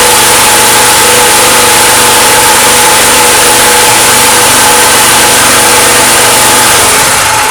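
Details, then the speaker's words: Petrol generator that kicked back hard on the starter cord and backfired into the carburetor, fixed by replacing the valves. After the repair it starts and runs with a loud, steady, even drone and no popping or misfire: normal running. "так заводим працює і тільки після заміни клапана Хоть я і перевіряв пускати і все ж таки заміна помогла"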